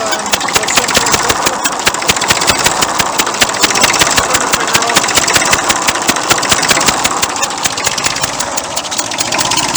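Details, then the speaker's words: 1959 Fordson Dexta diesel tractor under rebuild: sharp, rapid puffing ticks in time with firing over a steady idle, with the water pump audible at the front. Compression is blowing past a leaking injector seal near the exhaust manifold. "we've got a very uh graphic demonstration before we've got a leak here from the injector in the corporations"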